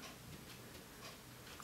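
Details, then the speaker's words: Yamaha 862 French horn in for a valve rebuild, rotor rocked by hand in its casing: light irregular clanking, about four clicks a second, from worn play mainly in one direction. It is enough wear to lose some compression. "that's where it's it's mainly worn this way but i can turn it to show you you can even hear it clanking there"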